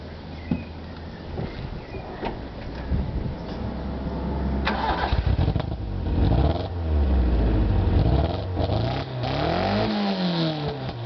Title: 20v misfire